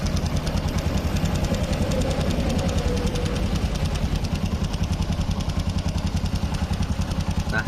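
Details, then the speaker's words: Carbureted Honda Supra X 125 after a new bore, new valves and a new cam-chain tensioner: smooth at first, but after a few weeks a rough ticking of about three to four taps a second appears at both low and high rpm, from excessive valve clearance. "Nah ini teman-teman bisa denger ini mau RPM bawah mau RPM tinggi ini suaranya tetap ada"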